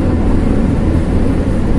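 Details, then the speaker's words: Nissan X-Trail T31 ST 2500 cc at highway speed on concrete toll road, heard in cabin: steady deep rumbling roar and coarse drone with tyre vibration, no engine note; loud tire road noise. "Barat noisenya itu aku akan semakin tinggi jadi protesnya itu sangat terasa sekali sangat kedengaran sekali di-like adik itu terasa getaran ban cukup berbunyi sekali"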